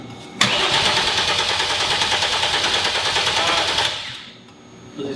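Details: Hyundai Genesis Coupe 3.8 freshly turbocharged (Precision 6266 ball-bearing turbo, new flashed ECU) cranking without starting, fuel disabled to prime oil: steady starter turnover about three beats a second for three seconds, then silence.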